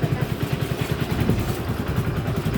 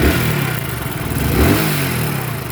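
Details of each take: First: Hero HF Deluxe BS6 motorcycle with about 7,000 km, after timing chain replacement for chain noise: engine idles with an even, steady low thump and no chain rattle. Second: Hero HF Deluxe BS6 motorcycle, about 7000 km, revved with a dry rapid clatter over the exhaust note; loose timing chain noise, runs oddly, to be fixed by opening and correcting timing.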